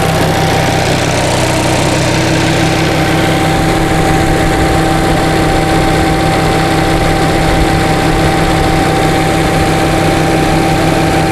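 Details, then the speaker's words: 1945 Onan generator, engine warm (about 127°F) with 25 psi oil pressure, starts right up and idles with a steady even low thrum and faint generator whine; normal idle, charging fine. "starts right up nice the engine is hot now we got 25 pounds of oil pressure and it's not that hot it's only 127 degrees"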